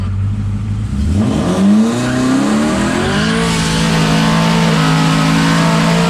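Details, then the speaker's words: Twin-turbo Saleen with a faulty Quick6 shift controller failing to upshift at wide-open throttle: revs climb hard, then hang at the top with a choppy, misfire-like stutter from bouncing off the roughly 7,500 rpm rev limiter. "All right, so hanging the rev limiter at 7,500 will definitely cause it to sound like a misfire when it's."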